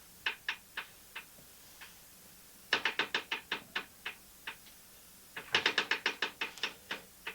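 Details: 1974 Norton Commando gearbox, primary drive dismantled with belt and alternator removed: clutch spun by hand gives irregular bursts of sharp dry ticks, several per second, source unclear; clutch centre not concentric; investigating a clunk when kicked over and in gear.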